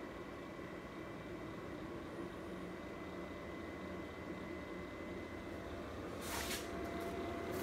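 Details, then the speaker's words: Grizzly G0704 CNC mill conversion, control power switched on: steady whirring hum with faint high whistle over low drone; top fan of the louvered electrical box over the power supplies is the noisiest, machine otherwise a nice hum. "this fan on the top is really glad and this is where the power supplies that and that's the definitely the noisiest fan and power supplies inside that louver box"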